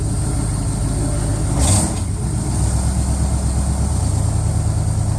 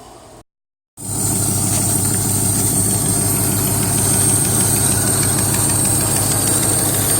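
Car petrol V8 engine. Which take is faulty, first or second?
second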